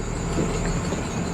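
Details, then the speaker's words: 1999 Dodge Ram 1500 sport short bed, parked six years, idling with check engine light on and stalling off throttle; steady high-pitched squeal over even idle from a squeaking accessory pulley rather than the belt. "you can hear that belt squeaking or it's it's really a pulley not the belt"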